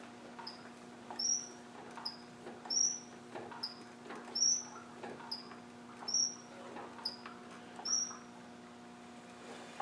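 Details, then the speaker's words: Land Rover 300Tdi diesel turned by hand, not compression related: sharp high squeak at the same spot each turn, roughly every second and a half, heard high up so not the crankshaft; squeak, source not yet found. "so it can't be crankshaft cuz it's you can hear it kind of high up"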